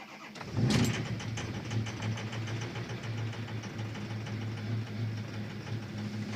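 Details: 6.0 truck after sitting outside 48 hours level, tuner still installed: brief crank, then catches and runs with an uneven, wavering idle that dips and surges; hard start and stumbling.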